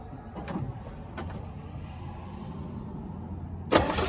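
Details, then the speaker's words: 1965 Chevy C10, sitting since 1994, after refitting throttle return spring: steady, even idle with no misses, runs well despite original plugs, wires, cap and coil not yet replaced. "Would you look at that? Actually runs damn good."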